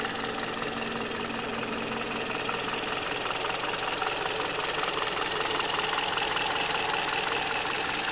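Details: 2008 Kia Ceed at 104,000 km on Mobis 5W-20 oil, valve clearances within spec: steady idle with crisp, even tapping about 2.5 times a second; knock of unknown origin.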